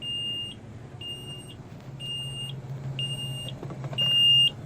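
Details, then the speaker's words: 2003 Forest River Georgetown Class A RV, about 35,000 miles, LCI hydraulic jack system: half-second beep about once a second over low engine hum after all-retract, though all jacks are up. Leveling jack warning beeping, cause unconfirmed. "that beeping sound and again I will prove all these jacks are up"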